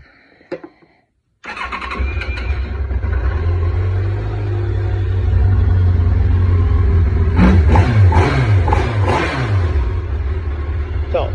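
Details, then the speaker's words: 2007 Yamaha FJR1300 that won't start without starting fluid after replacing coolant hoses to the high-idle wax valve, no error codes: uneven, stumbling low idle with irregular pulses, slightly warmed up; seems to run very lean; rough idle. "this idle's really lousy even if i put pull uh it's warmed up a little bit because i've run it some"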